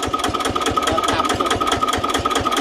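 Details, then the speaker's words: Old Japanese Daiden D200 welder/generator, 110 V, possibly 5 kVA, single-cylinder diesel of about 10 hp with crank start. Even chuffing at about four beats a second with steady mechanical chatter at low speed. Smooth, healthy idle. "เครื่องนิ่มมากนะใส่ยี่แตนน่าจะเท่นะครับ"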